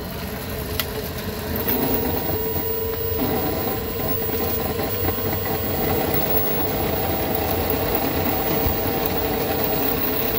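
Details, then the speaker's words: 1998 Club Car DS golf cart: steady mid-pitched whine over motor hum, loudest coasting at no load, quieter accelerating or decelerating; rear transaxle noise. "all right do you notice the sound it comes and goes If you're sort of in a no load situation it's really noisy if you're if you're hard on it taking accelerating or decelerating you don't hear it so much but when you're in between a load that's when it's the noisiest"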